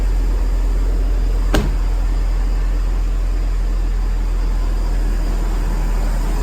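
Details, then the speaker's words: Hummer H3 started right after fitting a new 67MF replacement battery (old one had gone flat and died); steady low, even rumble at idle with no knocks, misses or ticks, engine idling normally. "Let's start it up. There you go, it's all working."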